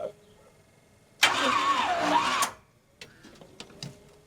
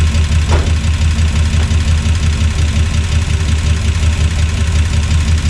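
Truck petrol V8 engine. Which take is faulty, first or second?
first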